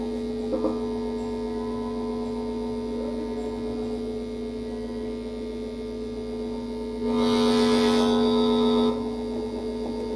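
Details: Amplifier with Bluetooth input, powered on: steady low-pitched mains hum from the speaker, with handling clicks and a louder buzzy stretch; hum lessens when touched by hand, from poor grounding, roughly halved by grounding to the chassis.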